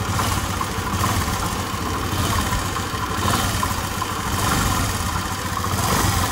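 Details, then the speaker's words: Honda Activa scooter with a starting problem, running after the magnet and pickup coil checks and reconnecting the green and black wires; small single-cylinder engine catches and settles into a steady, even idle with no misses or hunting. "ఇప్పుడు చూడొచ్చు మనకి ఒక అయితే bike లో start అయిపోయింది"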